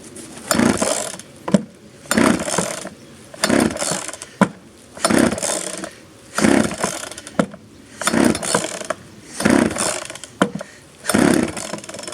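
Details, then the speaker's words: 1997 Poulan 2150 chainsaw, 23 years old, cold start on choke after the choke was pushed in too quickly: the two-stroke revs in crisp, even bursts about every three seconds and drops back cleanly; runs normally. "that sounds better okay i put the choke in too quick"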